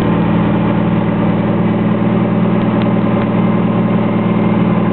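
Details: 1998 turbo Saturn, Garrett T3/T04B turbo, ported head and intake, Crower rods, JE forged pistons, 3-inch open downpipe, warm engine: steady even idle with loud deep exhaust drone, no knocks or misfires; healthy, just loud from the open pipe.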